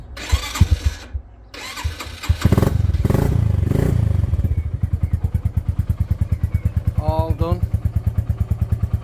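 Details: Honley HD2 125 motorcycle, revived after nearly a year standing, with a changed carb and new wiring loom, started in neutral: cranks and catches, then settles into an even idle thumping about three times a second; runs normally.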